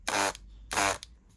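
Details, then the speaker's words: Water-damaged Dremel 3000 with a stiff switch button: two brief buzzy hums with no spin-up. The motor vibrates but won't turn because its rusted shaft is seized. "It's vibrating, but it is not turning."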